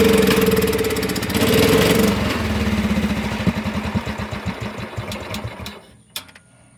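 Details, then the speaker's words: Cub Cadet HDS riding mower, rusty and revived, running on its own poorly: uneven idle that slows into spaced pulses, nearly dies, then picks back up; surging with the cause unknown. "But it keeps acting like he's going to die and then pick back up. Not really sure what that's about."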